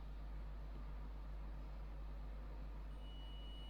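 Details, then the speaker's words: Multimeter continuity beep across a phone speaker's coil: low hum, then a clean steady high tone showing the coil is intact and the speaker working, expected resistance about 5–8 ohms. "el pitido significa que la pista o sea el bobinado de este parlante altavoz no está roto entonces estaría andando el parlante normalmente"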